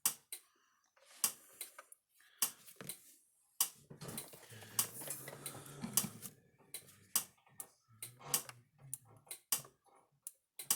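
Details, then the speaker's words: Speedrite Panther 2400 electric fence charger: sharp ticks about once a second, fence light barely flickering, output only about 2,000 volts; suspected bad output transformer or output board, capacitor to be checked. "All right, you can hear it clicking. It's not flashing, and I doubt we get any output out of it, but let's put the tester on there just to see."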